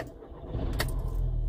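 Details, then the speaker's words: VW Golf GTI Mk5 2.0 TFSI after crankshaft sensor replacement (earlier fault P0321, cutting out at 2500–3000 rpm and hard starting): the engine catches immediately and settles to a low, steady idle. Clean, healthy start. "there we go that's all we need to know about idle's nice to drop down a bit"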